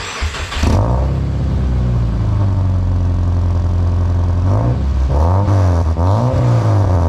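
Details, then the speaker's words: High-mileage Subaru after repair, old rusted exhaust section cut out and replaced with a glass pack and cheap aftermarket muffler; deep, even drone swelling cleanly with each throttle blip, no rasp, rattle or leak; sounds much better, exhaust sealed, normal note. "it well I would say that sounds a lot better than it did now it's not quite as ridiculous"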